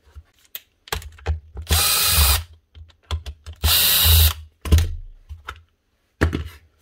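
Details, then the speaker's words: Dewalt cordless tool, slightly chipped but alright, found to have worn bearings after a piece of plastic bag was ruled out: short bursts with a harsh, gritty whirr over the motor note; bearings to be changed to quieten it. "These changed out. That should quieten it down."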